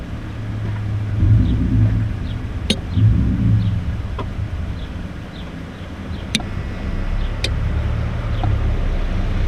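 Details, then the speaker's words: 2003 Ford Escape with starting issues, fuel pump relay being tested: a few sharp, isolated clicks over a low background rumble, showing the relay turns on. Power later confirmed at the pump, so the fuel pump was replaced. "Alright, if you hear the click, that means the relay is turning on."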